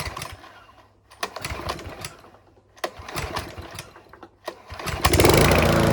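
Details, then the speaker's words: Mountfield V35 150cc mower (HP414, 38cm cut) after a carb clean; engine surges and stumbles with irregular pops and clacks about three a second, dropping out between bursts. Owner thinks the carb needle needs sorting; possibly low on fuel. "Yes, that's still popping and clacking. So I think that needle is going to need sorting out."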